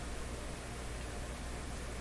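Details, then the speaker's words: Nordmende Boheme C tube radio during AM broadcast-band alignment near 550: only a steady soft hiss and no tone, because the signal generator isn't modulating even though its modulation meter reads 30. "there's no there's no sound coming out because there's no modulation here even though the modulation meter is up at 30."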